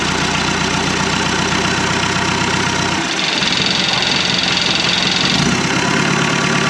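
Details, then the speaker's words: 1991 Land Rover Defender 90, Turner Engineering remanufactured 200TDI diesel, first start: loud uneven clattering rattle at idle that smooths once a touch of throttle lifts revs; owner suspects idle set too low; 50 psi oil pressure. "i think the idle set a little low that's why it was rattling so bad when i gave it a little bit just a little bit of gas it smoothed right out"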